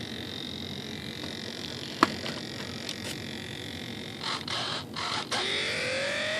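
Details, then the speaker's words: E-flite T-28B Trojan rudder servo after repair with wrong-size replacement gears, powered up: brief rough buzzing bursts then a rising strained whir; servo gears not meshing properly. "Do you hear that, guys? Didn't mesh properly. So I'm going to go ahead and unplug it so it doesn't destroy the servo."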